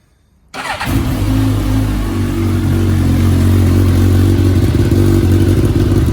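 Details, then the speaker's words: 2019 Suzuki Katana 1000, first start just after fitting an M4 aftermarket muffler with its baffle in: the engine catches and settles into a deep, even burble, then revs cleanly with no knocks or misses. Healthy engine. "Oh yeah. That sounds good. That is with the baffle in."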